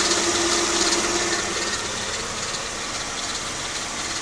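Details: Mercedes E320 V6 W210, M112 engine, 165k miles, otherwise runs near perfect: fast, light metallic chatter over idle at a steady rate; confirmed timing chain with tensioner and chain guard noise.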